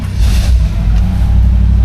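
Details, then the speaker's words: 1964 Chevrolet Impala SS convertible V8 cold start before a test drive: it fires right up into a deep, even rumble with steady firing and no misses or knocks. A normal cold start. "that is a cold start as well she fired right up we'll give her a minute let some of this gas flow through"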